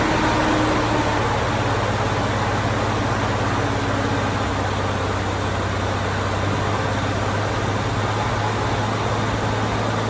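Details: 1987 Ford Bronco II, first start after sitting 15 years, following an ignition coil replacement and reconnecting a ground wire: the engine settles into a smooth, even idle with a steady low hum and no misses or knocks; normal idle.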